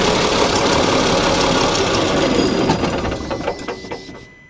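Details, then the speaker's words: Mahindra Blazo BS6 M-Dura tipper diesel with DTC P0344, RPM stuck below 2000 after a sudden loud engine noise while driving: steady fast cranking, about three or four turns a second, without catching; long crank, still unresolved before cam gear timing check. "कि इसे घुमाने में काफी समय लग रहा है। इसका मतलब है कि मेरी समस्या अभी तक हल नहीं हुई है।"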